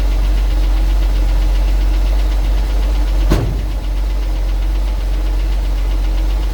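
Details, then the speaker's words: 1974 Ford 350 truck at idle, cold started to prep for sale, engine run on unchanged oil and a rebuild discussed: a deep idle with a loose knock, about three per second, tracking engine speed; engine knock, cause unknown. "You hear that one back there making a little noise. It's just the motor was full of not oil changed oil."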